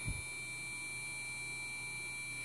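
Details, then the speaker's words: Gigabyte motherboard in a Core 2 Quad desktop PC beeping one long continuous unbroken high tone on power-up; persisted after swapping graphics cards, cause unclear. "only issue is powering up you get a long continuous"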